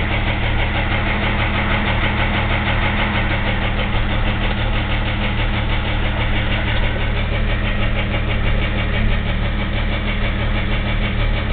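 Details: 2001 Jeep Grand Cherokee 4.0 at idle, oil changed regularly, with a noise that began suddenly: uneven knocking of roughly three per second over a rumbling idle. Owner wonders about piston slap versus rod knock, unconfirmed, before pulling the oil pan.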